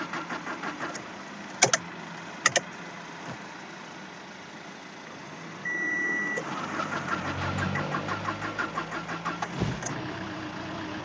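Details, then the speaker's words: Renault Symbol with fully rebuilt engine, one month later: cold morning start where the starter cranks about 18–20 seconds with a steady churning pulse; long hard start, cause not yet found, pump suspected. "sabah soğukken baktım yirmi saniye boya çalışmıyor"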